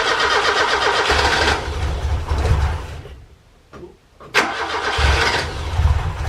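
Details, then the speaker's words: Ford Capri Calypso first start after 14 years stored, following a faulty ignition coil, with fuel only in the carburettor float chamber. It cranks, catches, stumbles briefly, then settles into a steady, even four-cylinder idle; runs normally. "After 14 years, it finally runs. And how sweet is that? It runs beautifully."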